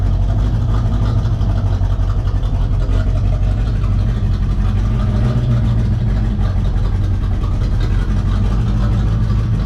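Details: V8 Corvette just after a Hypertech chip install: a heavy, lumpy low rumble that never settles into an even beat. It runs rough because a component was forgotten and left disconnected during the install.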